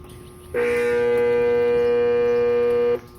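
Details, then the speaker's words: Goodman AC condensing unit compressor trying to start on a no-cooling call: loud steady hum for about two and a half seconds, then cuts out with no run-up; compressor fails to start, cause not confirmed. "it is she don't want to turn over so let's see what we got"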